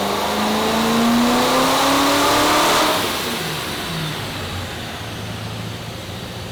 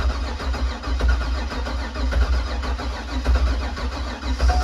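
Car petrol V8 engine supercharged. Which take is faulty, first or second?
second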